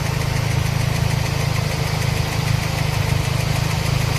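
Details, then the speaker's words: Toyota Corolla (Baby Altis) 2E carbureted engine after new carburetor and tuning: steady light tick about three per second over rough, low idle; first thought valve clearance, found loose rocker arm pivots. "Ayan oan kaya maingay. So dalawa. So yan. Ah ang akala ko valve clearance lang pero pibot pala."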